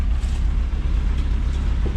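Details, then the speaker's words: Sonoma with head gasket leak, idling after adding CRC head gasket repair and water, tinted smoke from exhaust: rough, uneven idle with a low lumpy beat that stumbles now and then; engine misfiring. "You can see the smoke coming out of the back, slightly colored in the air. Then you can hear it missing."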